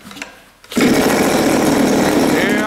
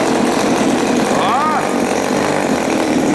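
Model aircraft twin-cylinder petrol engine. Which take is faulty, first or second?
first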